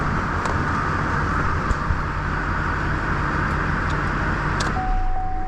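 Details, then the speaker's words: 2004 Duramax diesel reassembled after another shop's teardown: steady, even idle with a smooth low rumble and no knocks or ticks; the owner reported a morning tick at low RPM, suspected manifold leak. "right sounds really good"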